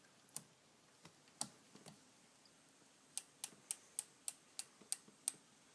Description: I had a clicking sound in my rear cassette/derailleur as you will hear in this video. To fix it, I adjusted the limit screws very slightly and the clicking was gone.